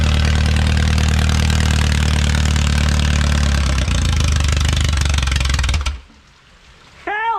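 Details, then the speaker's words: Original Renault 4CV engine (circa 1949-52, welded cracked block) reassembled after ~70 years in parts: low, even idle of about three to four beats a second holding steady for six seconds before shutting off; runs smooth. "successful perfecto well i think it's warm enough"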